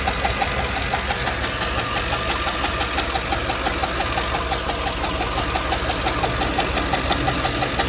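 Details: GM 6.2L L94 V8 after cam swap, at idle: sharp regular tick-knock about three per second from a roller lifter damaged on the cam lobe; cheap non-OEM lifter trays let lifters twist above 4500 rpm.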